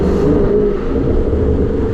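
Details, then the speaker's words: 2017 Dodge Charger Daytona 392 V8 with muffler delete, in Street mode at light throttle: deep drone with a thin tinny buzz riding on it, slight exhaust rattle present in every drive mode, cause not yet pinned down. "so here you know it's just it's that ever-so-slightly just a like a rattling sound I mean no matter what"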